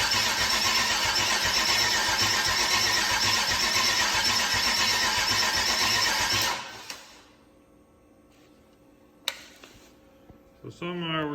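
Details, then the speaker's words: 150k-mile 6.0 LS V8, never heard running, first start on makeshift fuel setup: fast even cranking around four turns a second that never catches; crank no start, not spinning enough RPM, battery needs charging. "still not getting enough out of this to really spin it over and uh see what it's going to do"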